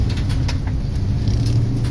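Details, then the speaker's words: Inducer motor on an 80% furnace, before replacement, owner complained of a loud racket: heavy steady low rumble and vibration drowning everything else; inducer motor way out of balance. "all right guys yesterday I had a call where a guy said that the furnace is making a hell of a racket and so I went by there apparently the inducer motor is an eighty-percent furnace the inducer motor wiill is way out of balance"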